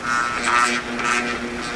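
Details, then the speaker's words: Old window fan motor that had overheated (coils scorched orange), powered with top bearing just installed: steady mains hum with faint buzz, rotor tries but won't spin because bearings are misaligned; coils confirmed good, bearings possibly heat-damaged; stalled motor hum. "All right, so it is trying to spin, but the bearings are not aligned. So at least we now know the coils are good."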